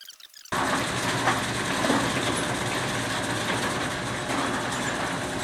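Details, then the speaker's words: LiftMaster LM21XP operator raising an overhead fire door before drop testing: steady, even motor drone with a low hum and no knocks or scraping as the door runs up smoothly to its correct level; normal opening. "So now we're just going to bring the door up and we're just going to make sure that before we start doing our testing that the door simply goes up, stops at the correct level."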